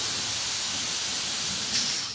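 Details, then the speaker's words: School bus air brake test, rear tank drained (blue needle moving), low air warning and buzzer came on at 70 psi. Steady sharp hiss of compressed air fading; normal rear air tank drain. "So now I'm going to drain it completely. I don't hear any more air releasing."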